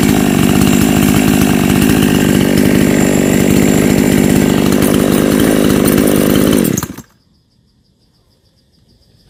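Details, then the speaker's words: Chainsaw that died when hot, after fitting a replacement ignition coil: strong steady high-speed run with even crisp firing then clean shutoff; strong spark, running healthy. "ยอดเลยครับแรงมากนะครับแดงแรงไฟดีครับ"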